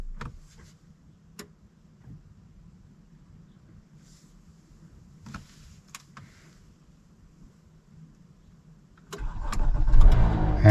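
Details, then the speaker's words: 2015 Honda CR-V AWD Touring, push-button start with brake pressed, before starter replacement: several lone clicks with no cranking, then the engine finally turns over and catches. Intermittent starter clicking before cranking. "I can hear it click but it doesn't start every time it does the same thing and she says that takes her several uh iterations of"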